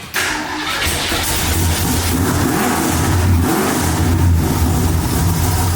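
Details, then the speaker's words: 1965 Mustang with a 331 stroker V8, long tubes, X-pipe and dumps: a loud, lumpy idle that surges and stumbles. The owner suspects a junky oil catch can on full vacuum causing a big vacuum leak. "I think the catch can is causing a big vacuum leak. I'm gonna plug the back of the carb back up."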